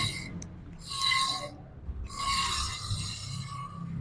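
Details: Nissan Pathfinder front brakes: rasping scrape under braking with a thin ringing squeal in surges as it slows; pads fully worn down, with blown control-arm bushings and cracked sway-bar rubbers also found.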